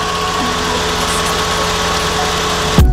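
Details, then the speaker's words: VAZ 2109 (девятка) after fresh oil change and repair, idling: cooling fan whooshes evenly and now stays on steadily, where before it cut on for 5 seconds, off, and on again after 10; fan circuit working normally. "заработал вентилятор сейчас уже работает стабильно Раньше он включался на 5 секунд выключался и через 10 секунд опять включался сейчас он включился но и работает нормально"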